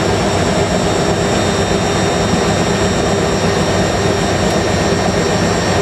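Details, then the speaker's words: Hotpoint 9530 Electronic 1000 Plus washer, twin bedding load, after repair of burnt mains-lead neutral wire, final spin: steady even high-speed whoosh, faint hum, no thumping or banging; balanced and smooth. "That is probably the smoothest spin this machine's ever done on YouTube. I like that. It sounds so smooth going up to the house."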